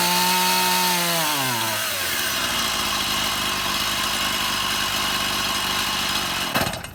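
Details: Stihl MS171 chainsaw that wouldn't start, new ignition module fitted, run outside: revs sag within two seconds, run low and uneven, then cut out unless choke is operated; fuel starvation.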